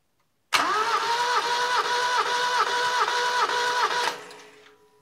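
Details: 1975 Satoh Elk 550G tractor, 4-cylinder liquid-cooled gas engine, stone cold, plugs out for a compression test with a leaking tester O-ring: the starter whirs with even compression pulses. Readings were about 120–165 psi; compression is good.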